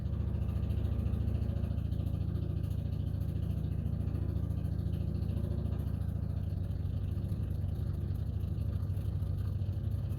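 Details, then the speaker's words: Ford F-1 truck with a temporary "clickety-clack" electric fuel pump; the original mechanical pump's diaphragm dried out after 25 years of sitting. Quick even clicking, about two per second, over a low hum means the pump is working normally. "wondered how you can tell whether or not your fuel pump is working just listen for this sound if it makes that sound then you got a good fuel pump"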